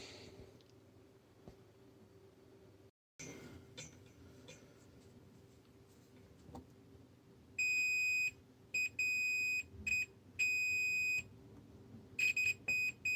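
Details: Marantz PM7200 amplifier, bought dead, capacitors and front-panel transistors already replaced: quiet bench hum, then repeated steady meter beeps as the probes touch, a shorted output transistor in one channel, likely left; drivers and power transistors removed.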